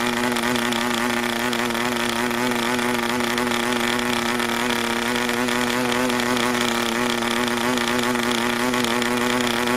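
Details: New PAW 40 TBR model diesel on its first break-in run, recommended break-in fuel, 12x5 prop on a clamp mount: steady buzzing run at constant speed with a soft, burbling note and no climb in pitch; rich and under-compressed.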